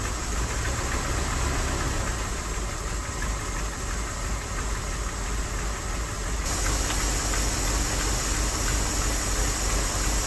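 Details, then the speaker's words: Old Dodge W300 Club Cab, took 2 gallons of antifreeze, compression about 130–140: lumpy uneven idle with irregular low thumps about three a second, shaking, then dies; probably missing on a couple of cylinders; rough idle. "I don't know if y'all can hear it and see it, but that thing's shaking like a leaf. Yep, it just died too. It's missing on, I don't know, a couple cylinders probably."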